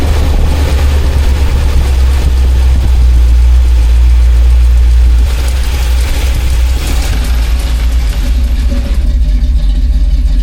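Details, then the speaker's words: 2000 Jeep Cherokee XJ 4.0 with carburetor, fully warmed up, curb idle being backed out: a loud, deep idle with an uneven, loping pulse near three beats a second, the mild performance-cam chop that is normal for this engine. "First, I'm gonna adjust the curb idle to get it at the idle I want. I'm gonna back it out until I start to hear that cam chop a little"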